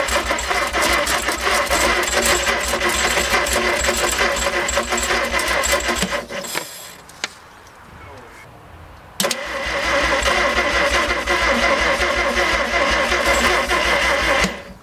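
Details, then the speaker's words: 1950 Chevy Fleetline six-cylinder, not started in a couple of years, engine in poor shape: two long bursts of steady starter cranking at about three turns a second with a pause between, engine almost catches but never starts; cranking no-start. "Almost did a couple times there. That's all it'll do. Yeah. This engine is so fucking fucked."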